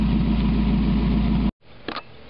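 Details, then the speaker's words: 1991 Mazda Miata, catalytic converter removed, running straight pipe: deep, throaty idle with a strong low rumble and no muffled softness; deeper and throatier than the old exhaust, while waiting for the replacement converter. "But you remove all that back pressure from that catalytic converter and it's bound to help a little bit. little bit of a deeper, throatier sound than I remember the other one having."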